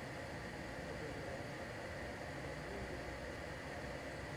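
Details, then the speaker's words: LG portable air conditioner fan at maximum speed F3, measuring about 56 dB with a much stronger airflow. A smooth, steady rush of air with no rattles, ticks or whine; the blower sounds normal. "e o pessoal if3 que a minha velocidade máxima do ventilador ela já subiu considerável"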